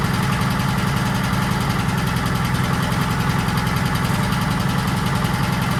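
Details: 1940s Allis Chalmers D5 or HD5 crawler with 2-stroke Detroit 271 diesel, first run in many years: steady, deep, rapid chugging at idle, about three and a half beats a second, no knocks. Motor sounds good; smoke suspected from a problem injector.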